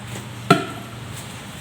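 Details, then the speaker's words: Samsung two-door bottom-freezer inverter refrigerator not cooling, ice block around freezer fan, water poured in: sharp crack then softer ticks over a faint hum as ice loosens; ice cracking in evaporator from defrost failure. "Nah, ada bunyi kretek-kretek di dalamnya, itu es yang mencair. Itu suara es mencair, jadi dia mulai terlepas, mulai tidak mengikat ini tutupnya lagi."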